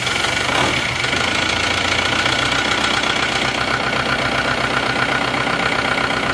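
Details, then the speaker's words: Car engine just rebuilt, first start, no thermostat fitted yet: sharp metallic rattle over a busy idle, irregular, one or two a second. Knocking because ignition timing was set too far advanced. "Tadi terlalu maju timingnya kerang-kerang suaranya"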